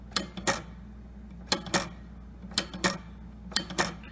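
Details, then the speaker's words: 1973 Williams Gulfstream pinball ball count unit after restoration with nylon sleeves, previously locking up: crisp paired clicks stepping one increment at a time, freely and unrestricted; normal stepping. "so if i release it now it moves freely it's not restricted it's moving one increment at a time it is exactly how you want this thing to work"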